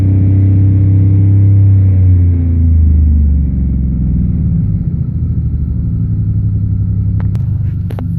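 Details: 1999 Pontiac Bonneville 3800 V6, 215k miles, plugged catalytic converter, strange codes: deep idle rumble with an uneven, stumbling beat; misfiring, cause still unknown.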